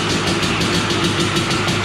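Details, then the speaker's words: Honda TRX 250R two-stroke quad just finished after a build, with an expansion chamber fitted, started in the garage; crisp busy idle with a steady fast beat and even pulses, no knocks or misfires; normal two-stroke idle. "We'll start it up. We'll open the garage. We'll smoke it out in here, kill all the mosquitoes, and we will annoy the neighbors at the same time. Something about a two-stroke."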